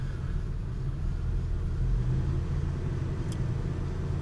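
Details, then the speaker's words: 2005 Buick Terraza with GM 4T65-E transmission, on jack stands with wheels spinning in gear; steady low growl or roar under the front, grinding earlier appeared in second gear; owner unsure it comes from the wheel, which has a little play. "i'm just not sure that that growling's coming from the wheel i mean it does have a little play"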